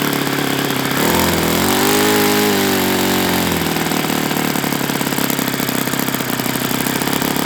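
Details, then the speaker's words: Enya 46-4C four-stroke model engine on a Ron Sexton test stand with 12.7 prop, possibly loosening: drops from a higher buzz to a rough, loose, chattery idle; owner concludes it needs bearings and plans to fit them. "Yeah, this thing needs bearings. And it's gonna get them."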